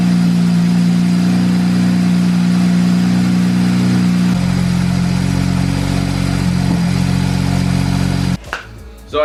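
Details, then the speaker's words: 2007 BMW 335i after aftermarket oil cooler install, coils reconnected: fires to steady high idle, then settles to lower even idle with no misses or knocks; no leaks. "So as you just saw, it starts and it's not leaking."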